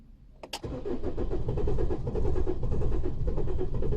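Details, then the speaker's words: 2015 Holden Colorado RG 2.8 L Duramax turbo diesel: starter churns steadily, roughly two beats a second, no firing; crank no start, code P0336 crankshaft position sensor performance, RPM signal dropping to zero while cranking. "as you could see there it was cranking away but it was having a Dropout I did have a graphing offc screen as well and it was dropping out as it was cranking"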